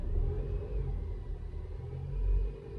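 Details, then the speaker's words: Peugeot 307 CC petrol engine idling with a low steady rumble, no misfire, after earlier repairs for intermittent misfire, vacuum leak and depollution warning; coil misfire codes on cylinders 2 and 3 suspected to be voltage glitches. "Yeah, she's idling nice. She's not misfiring. She is not misfire."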